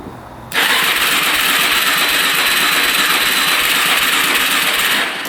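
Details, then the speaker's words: 2004 Suzuki LTZ400 quad sat 10 years, choke off, fuel on reserve: fast, light starter whir for about five seconds that never fires; engine spins freely, owner suspects low compression, not confirmed; cranks but no start. "it just spins almost sounds like low compression to me it's turning over pretty fast"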